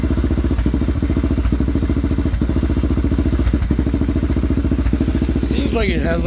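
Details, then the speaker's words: Honda 400EX single-cylinder sport quad, older vintage machine, idling: steady thumping with a beat dropping out every second or so, a slight miss; owner suspects it may be loading up on fuel, unsure. Engine misfire. "a little bit of a miss or something. Might just be loading up on fuel. I'm not quite sure."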